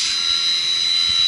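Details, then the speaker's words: Water pump in a chiller plant during maintenance: steady, even hiss with a fine high tone and no surging, knocking or grinding. The pump is running smoothly and normally. "don't you just love the sound that uh pump"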